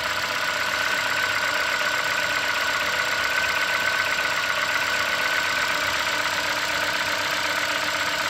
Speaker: you can hear it's quieted down so there's the first serve up the engine it automatically speeds up a little bit warm it up and then it a little slows